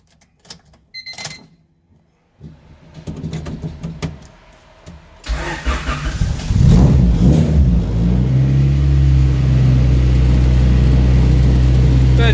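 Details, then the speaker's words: Honda Civic with F23A swap, balance shaft delete, solid motor mounts, no idle control valve, eBay exhaust with muffler; cold start after sitting a couple days: short crank, fires promptly, revs briefly, settles to steady even idle. Healthy cold start. "Once it warms up a little bit, it just runs. And that was a cold start."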